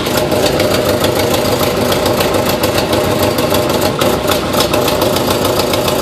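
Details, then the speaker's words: 2005 Subaru Impreza WRX rebuild, freshly rebuilt heads, welded eBay header with new gaskets: loud lumpy idle with sharp uneven ticking three to four a second; severe exhaust leak at header, fixed by new header. "Sounds like a bad exhaust leak, but the exhaust should be good on this. Got new gaskets."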